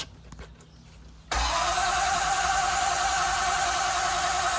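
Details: 1973 Triumph Stag 3.0L first start after engine rebuild, oil pressure about 40: quiet, then a steady fast starter whir that never catches or fires; no fuel reaching the carburettors yet.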